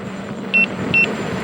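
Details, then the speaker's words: Begode EX-N electric unicycle at about 70.5 miles into a range test, riding about 18-19 mph: two short high-pitched beeps over wind and motor noise. This is the low-battery speed warning at about 79.5 V under load. "well that didn't take long we're about 70 and a half miles and i'm getting getting the beeps at about uh"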